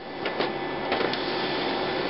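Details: HP LaserJet 4000-series laser printer with error 41.5 and blank page: whirring with soft repeated clicks and shuffles as it keeps retrying paper feed; caused by a dislodged separation roller clutch, not the scanner assembly.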